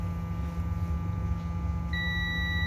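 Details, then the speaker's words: Acer B560H6-M7 motherboard with a no-power fault. A multimeter continuity test on the 1R0 and 2R2 fusible resistors near a suspect MOSFET gives a steady high beep over a low hum. The resistors are good. "तो, इन तीन प्रतिरोधों पर जो beep की आवाज़ आ रही है, शायद यही"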